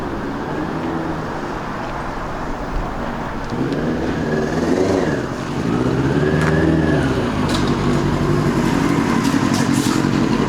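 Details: 2002 Yamaha YZF R6 carbureted four, after sitting 6 years, original fuel pump reconnected: uneven, stumbling idle as revs rise and fall, seemingly running on about three cylinders; owner believes a carburetor is gummed up again and needs removal and cleaning.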